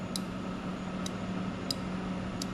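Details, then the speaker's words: 1984 Honda Big Red three-wheeler, reverse inhibitor relay swapped from another bike, selector put in reverse: crisp relay clicks about every three-quarters second over a quiet hum, relay grounding the gray wire; normal reverse inhibitor operation. "what i'm doing is i'm going to put it into reverse on the gear selector you can hear this relay clicking and what it does is it takes ground from this contact on the gray wire"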